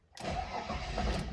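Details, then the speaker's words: Mercedes W124 after six weeks standing in a shed at 40°C or higher; long cranking with fuel pump audible, engine struggles and won't catch cleanly; air bubbles in the fuel tank, owner suspects vapor lock; hard start. "oh yes it's gonna fire there's lots of air bubbles uh in the fuel tank so i think it's just vapor locked because it has been very very hot in this shed while i was while i was away many days 40 degrees or higher so it's just vapor lock it's gonna start now"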